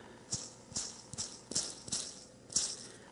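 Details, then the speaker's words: Southbend drill press quill/pulley ball bearing, removed and spun by hand; gritty, irregular rattling bursts instead of the quiet spin-down of its mate; rough, worn bearing, being replaced. "compared to that other one, which is nice and silent. So, definitely making noise on that one."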